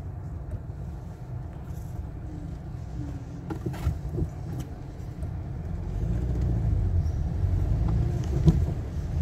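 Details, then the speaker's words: 2010 Toyota Corolla 1.8 at 171,527 km, idling with flashing check engine light and code P0301, losing power: low lumpy idle with uneven stumble every few beats; cylinder 1 misfire from failed ignition coil. "so now I'm gonna go under the hood and show you on on how to diagnose this misfire issue"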